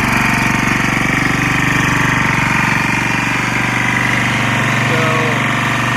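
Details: Lombardini 6LD260 air-cooled diesel on a traffic sign, just cold-started after 10 years unused on fresh fuel, alternator charging battery; steady fast even clatter, note dipping slightly as the light-flash load cycles; normal running under varying electrical load.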